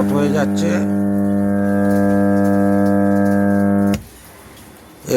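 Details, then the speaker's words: MR amplifier with disturbed sound and intermittent loud hum, rusted VCs and bad connections already replaced: at switch-on a loud, steady low buzz at constant pitch until switched off, called a full short. "আপনারা যে হাইটা হয়ে যাচ্ছিল মেশিনের, এই তারটি খুলে যাওয়ার জন্যে মেশিনটা পুরো হাই হয়ে যাচ্ছিল।"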